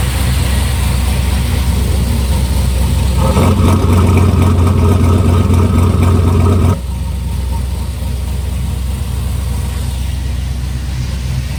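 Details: 1955 Buick with turbo LS swap, first start with new homemade 3-inch exhaust: Silverado tailpipe pieces, swap-meet Thrush muffler, slash-cut tip. Deep, even idle with a quick rev blip dropping back smoothly, clean exhaust note: normal idle.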